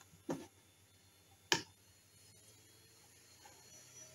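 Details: 1997 PC during Windows 95 install, setup files being written to hard drive: two crisp clicks about a second apart over quiet fan hiss, ordinary drive seek noise, nothing wrong.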